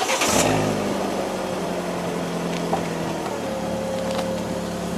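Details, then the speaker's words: Fiat 500 after DIY exhaust and back box replacement, joints tightened and checked for clearance: engine starts and settles to an even idle, no leaks or rattles; exhaust sounds normal. "we go, started up, no leaks, sounds good. No rattles."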